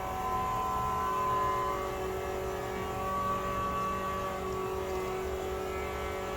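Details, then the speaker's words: G-body Monte Carlo SS with LS stroker, after fire and transmission rebuild: ignition on, engine not cranked, steady low hum with faint even whine, no surging or buzzing; fuel pump primes normally. "all right put it in ignition turn it don't turn it over just turn it on all right fuel pump on"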